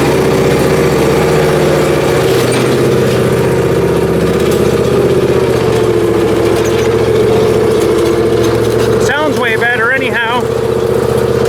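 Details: Briggs Intek M44 twin after full carburetor teardown and cleaning, just fired up: steady, even twin-cylinder idle with no misfires, stumbles or knocks; running smoothly.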